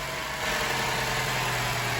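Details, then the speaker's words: 2012 Chevy Cruze 1.4 after an engine replacement (the old engine had no compression on cylinder 4), just after first start: a steady, smooth, even idle with no misses; normal idle. "better idle down here that's that's how a proper running 1.4 should sound right there much much better"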